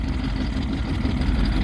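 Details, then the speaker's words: Vintage boat's old two-stroke outboard at first start in over 20 years, idling on the water before the maiden voyage: low, even burbling with no misses or knocks. Normal idle. "so far so good she idles she's running"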